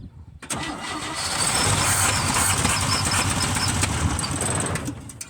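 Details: 1966 GMC pickup, 250 six-cylinder, first start in over 10 years, fuel pump fed by a loose hose, not from tank, filter possibly clogged: catches, runs roughly a few seconds, then fades and dies from fuel starvation.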